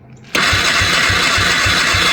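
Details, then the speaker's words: Polaris 300 two-stroke ATV whose engine blew after two days with non-functional oil injection, fitted with a Wossner top end: fast even cranking with hissy whir that never fires, cranks but won't start; owners wonder whether new rings would seat. "go yeah it's working all right so that was unsuccessful"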